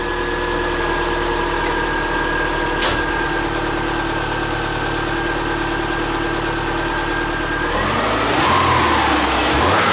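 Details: Subaru Forester with freshly reinstalled EJ25 flat-four, valves not adjusted, warming up around 114–120 coolant, learning idle, charging 14 volts: steady, even hum, no misses or stumbles; normal warm-up idle.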